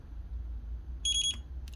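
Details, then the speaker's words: Faiuot 5000mAh mini portable spot welder powered on by holding the white button: quick run of short high-pitched beeps over a low hum, then a single chirp as the LCD display comes on; normal power-on signal. "hear three beeps and it powers on and that is the LCD display"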